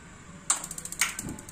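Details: Gas water heater with a too-high LPG regulator pressure problem: about eight quick sparker ticks, then a soft whoosh as the burner lights and ticking stops; flame sensor detects, ignition normal.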